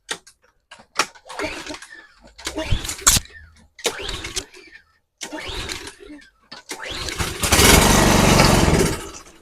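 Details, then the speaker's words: Craftsman 3000 psi pressure washer with a Briggs & Stratton 190cc 8.75 hp engine, found abandoned and non-running. Fresh non-ethanol fuel was squirted into the intake; a few coughing pulls, then it starts briefly and dies. Compression and spark are good; the carburetor is suspected. "It means we have good compression, means we have spark. So again, on something like new like this, I wouldn't imagine it'd be anything major."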